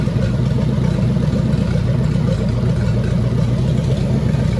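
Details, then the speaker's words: 1927 Roadster flathead V8 at 190° temperature starts much more easily and settles into a steady, low, even idle with a soft exhaust beat, then dies, probably out of fuel. "Oh, that'll do it. See how much easier it started? Yeah."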